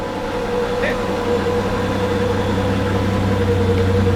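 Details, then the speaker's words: 1947 Chrysler Royal at idle on a damp, rainy day: quiet, smooth idle with a constant low drone and a faint steady whine, no knocks or misses, much better than it used to run. Normal idle. "it's so much better it used to be like now it's like okay that's that's amazing that's how it should run"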